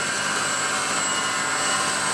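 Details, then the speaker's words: Near-new alternator bench-tested spinning forward (engine running direction): steady high-pitched whir with a fine electrical whine and a slight squeal, running smoothly; fan cools in either rotation. "The fan pulls air through it either way. So this alternator will work backwards or forwards rotation."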